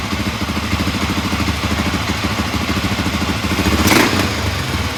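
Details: 1983 Honda XR500 after dual carburetor float valve adjustment and reassembly: fired on first kick, steady single-cylinder thump about three pulses a second with one brief throttle blip; idles evenly.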